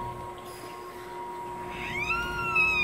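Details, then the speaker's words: Toyota Hilux rear axle, owner told of bad rear bearing: high, wavering squeal over steady hum from dry rear axle seal; lubricating the seal fixes it. "Esse gemidinho aí. Se isso acontecer, pessoal, é bem aqui, ó. Vou mostrar aqui, bem nessa no retentor aqui, ó."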